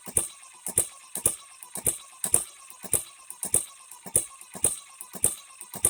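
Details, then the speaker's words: HM-01 hit-and-miss engine kit, first run after build with no instructions, not yet broken in: sharp paired metallic clicks about 100 per minute over near silence; timing gears clattering far louder than they should. "it does run but those gears good Lord we shouldn't hear them that bad"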